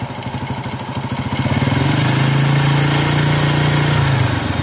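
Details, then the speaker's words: Carbureted motorcycle (Honda Grand, Yamaha F1ZR or Honda C70) with the air screw set lean ("dry"): idle thump, then revs climb slowly and lazily before holding. Throttle response lags. "Sekarang, respons pedal gasnya tertinggal."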